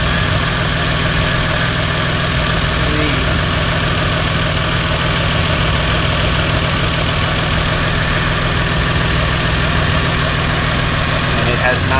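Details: Lexus GS300 2JZ-GTE VVTi turbo just fitted with a new Gates Fleetrunner serpentine belt, started up: smooth, even idle with a steady low rumble and no squeal or chirp from the belt; normal idle.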